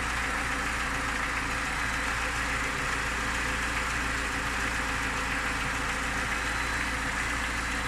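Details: Lada Niva engine at idle: steady idle with a dense even note and a faint knock within it; owner asks what the knock is, cause unclear.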